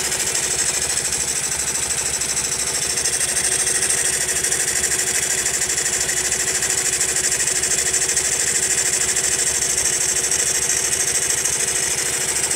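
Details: Honda Monkey at steady idle: small single-cylinder buzz with light, fairly regular ticking about three per second on top; abnormal engine noise persists after tappet adjustment, source not pinned down.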